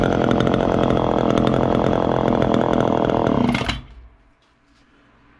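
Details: 1969 Homelite EZ Automatic chainsaw, first start in about 20 years of storage, fresh gas, carb not yet cleaned: high, even two-stroke buzz held at speed, then shuts off and winds down cleanly; runs normally.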